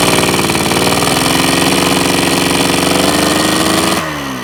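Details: Yamaha RX100 two-stroke motorcycle after stance rework and engine reinstallation, before paint: crisp, regular popping at a settled idle, revs creeping up slightly then easing; healthy idle.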